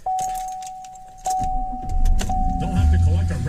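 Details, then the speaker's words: 2014 Silverado with intermittent no-crank, 21 miles on the odometer, after relays changed and fuse panel connections checked: door chime and key jingle, short crank, engine catches straight away into a smooth idle with no clicking; normal crank and start. "usual vehicle starts like nothing's wrong"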